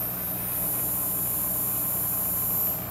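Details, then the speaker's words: Odyssea 18-inch 178W metal halide pendant lamp and ballast warming up: steady even high hiss over low background hum, no popping; normal metal halide lamp warm-up hiss. "it does feed back into the into the hot WS a little bit makes a little hissing noise you'll hear the B hissing as it warms"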